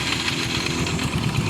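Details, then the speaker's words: Scooter after refitting the pulley correctly and tightening its nut, started and revved lightly: quick, even putter with no clatter or knocking; now quiet, unlike the earlier noise as if the engine would break apart. "Yan tahimik na. Ganyan dapat, hindi yung kanina parang mawawasak yung makina."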